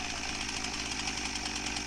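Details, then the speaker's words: Husqvarna 346XP chainsaw holds a fast, even buzzing high idle that never drops, and the chain keeps turning. A lean-running air leak at the cylinder base is suspected. "the customer complaint is that it won't idle right so you can see here that the idle is high and the chain won't stop turning"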